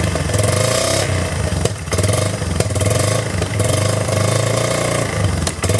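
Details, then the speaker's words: 1999 Yamaha Bear Tracker ATV after a new pickup coil, petcock and carburetor fix: catches and keeps running with uneven revs dipping and picking up, slightly clattery; starts, carburetor and idle speed still need adjustment. "It's, we have spark, no more fuel leaks, and I know it's running. I just need to, sounds like I just need to adjust the carburetor and the idle speed and all that good stuff, which is pretty easy."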